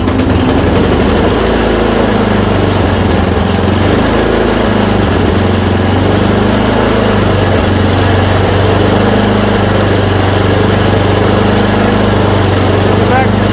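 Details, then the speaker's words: Yard Machine 826 snowblower, 8 hp 26 in, after new dual belt, first start once idle screw adjusted: small single-cylinder engine runs steady and even, revs up, no misses or knocks; it runs. "it's just an idle screw so you heard the idles it reved up we're good"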